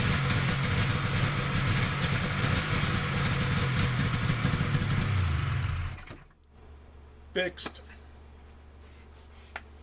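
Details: Polaris XLT triple two-stroke snowmobile after rebuilding the fuel pump with its upside-down plate corrected: quick, even crackling idle for about six seconds before shutting off; healthy idle.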